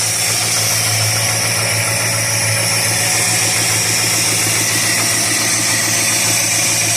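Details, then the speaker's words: 1969 Dodge Dart after freeing the stuck carburetor needle and seat, fuel pump reconnected with steady fuel flow, choke unhooked on a warm day: even, steady idle with a smooth low rumble, no misses, knocks or hunting; healthy exhaust note. "And we have a steady flow of fuel. So that's a good thing. Nice healthy exhaust note there."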